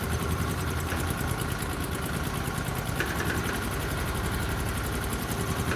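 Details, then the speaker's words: 1998 Argo amphibious vehicle, started after sitting since the previous day: fires promptly and settles into a steady, even low idle with regular pulse, no misses or knocks; healthy. "So it hadn't ran for many, many days, and it fires off just like that."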